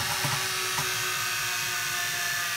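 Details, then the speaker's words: Washing machine motor on TDA1085c speed controller driving a heavy grindstone by belt; high squeal over motor whir when speed is turned up, belt slipping, tension possibly wrong. "so when i turn up the speed there adjust the speed you hear that that kind of noise is just about slipping and it could be that the tension isn't right"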